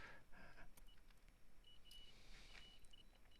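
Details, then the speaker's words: Tri-ang X04 motor in an OO gauge 0-6-0T tank engine under restoration: a faint high continuity-mode beep sounds each time the wheel is turned, showing a short circuit. The owner first suspected something stuck in the commutator. "I eventually went on to continuity mode and every single time I turn the wheel you can hear it beeping continuity so a short circuit of course"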